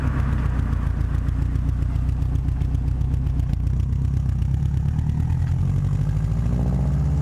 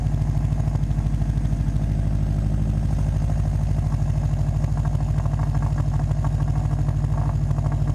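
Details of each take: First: Subaru WRX at idle after fitting a downpipe-to-cat-back exhaust flange adapter to cure a leak: steady, even low burble with no puffing or ticking; exhaust sealed, normal idle. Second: Subaru WRX at idle before fitting the downpipe-to-cat-back flange adapter: fast, even puffing chuff about three pulses a second over a deep exhaust rumble, from an exhaust leak at the downpipe flange.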